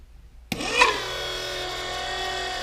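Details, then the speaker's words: Old electric turbo oil scavenge pump bench-tested drawing 5W-30 oil; steady high electric whine with buzzy edge, flows more than the new pump but far louder. "it definitely flows more but boy it's way louder"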